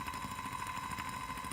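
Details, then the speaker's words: DMX-controlled motor run at full speed, direction set by slider: full speed counterclockwise at the bottom, full speed clockwise at the top; steady, fast, even whirring hum with a high tone on top, running smoothly. "And so full speed, counterclockwise, be all the way down. I stop. That takes me full speed clockwise."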